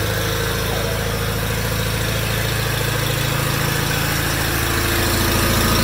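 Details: 1987 John Deere 318 with 1200-hour Onan P218G twin, first run after starter replacement: steady even putter at about three and a half beats a second, no knocks, hydro quiet; healthy idle.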